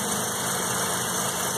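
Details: 1984 Mazda RX7 12A rotary cold start after sitting 13 years, block at 47 degrees. It settles into an even, steady, smooth buzzy idle with no knocks or misses, running cleanly.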